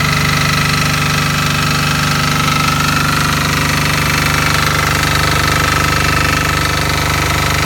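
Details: Fermont MEP-831A military 3 kW 60 Hz single-phase diesel generator, built 2001, rebuilt 2010, new oil and fuel, electric fan, just started: even, steady chug at constant speed with clean regular beat, no knocks or misses; normal running.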